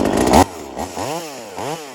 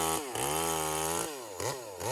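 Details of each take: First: V-Modest 2511 top-handle chainsaw, Echo 2511 clone, high-speed jet adjusted toward about 12,000 rpm with tachometer: crisp, clean scream at full throttle dropping cleanly to idle with quick blips; normal high-speed run. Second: V-Modest 2511 top-handle chainsaw, Echo 2511 clone, high-speed jet around 12.5, cutting branches: revs burble unevenly at full throttle instead of clean scream, four-stroking a little; high jet too rich, clutch slightly whiny.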